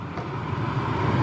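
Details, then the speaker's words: 2002 Dodge Ram 1500 4.7, blower motor on high after replacing the blower motor and its resistor, fixing a fan that only worked on high; steady, even air rush with no wobble, scraping or chatter; sounds as it should. "notice the sound of it that's how it's supposed to sound"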